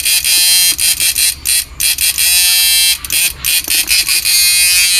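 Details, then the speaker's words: Repaired 9999000W 14T black inverter (new version no.3) with 4.7 protect resistor fitted and sound-boosting part added, blower not yet installed: harsh high buzzing in short strong bursts, judged strong, fine and good-sounding. "Pino. Ganda ng tunog."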